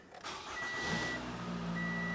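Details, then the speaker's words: 2014 Toyota Camry SE 2.5L after fuel pump and strainer replacement, ignition cycled three times to prime: brief crank, engine catches at once and runs steady and even; clean start after repair. "Starts right up."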